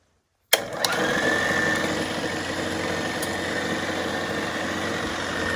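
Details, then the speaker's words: 1940s RCA 16mm projector fitted with a Bell & Howell spring belt to replace the missing forward drive belt, lithium grease applied. First power-on: a switch click, then a steady whirr with fast even ticking, running smooth in rewind; normal running. "It's running smooth."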